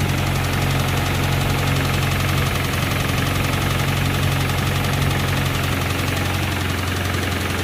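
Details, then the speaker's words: 1992 Honda Accord with bone-stock JDM H22A, turbocharged, 93 pump gas, warm idle; dull, fairly regular knock around three per second over the engine note; owner believes the stock motor is going, cause undetermined. "that a warm open sea well ladies and gentlemen I'm going to go out on the limb and say that this motor is going"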